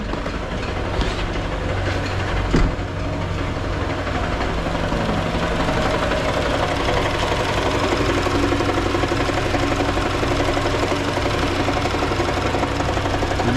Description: This is a toyota camry automatic transmission 2018 model 2AR FE the flex plate is cracked completely around the bolts. you can hear when its under a load the clacking noise stops.